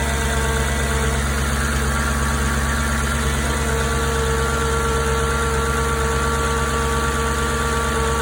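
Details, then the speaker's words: 9k-mile 2004 S4 cold start: steady low idle with a loud cooling fan rushing over it and light, even normal TFSI ticking, no rattle or chain slap. Normal cold start idle. "You can kind of hear the fan is a bit loud on cold start, but otherwise, I mean, no chain slap, just normal TFSI ticking, but that's it."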